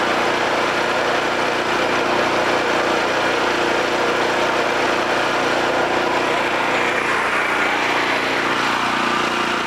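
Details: Homelite 5000 watt generator, bought used with a corroded carburetor; after carburetor, brush assembly and AVR replacement and re-exciting the field with a battery charger, its engine holds steady governed speed with an even, unbroken drone, no misses or surging.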